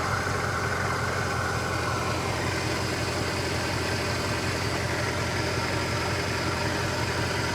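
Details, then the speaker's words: Mercedes 550-series V8 at a salvage auction: a steady, even low hum with no knocks or ticks. The engine idles cleanly and sounds healthy; a normal idle. "yowza the engine does sound good oh it looks good too"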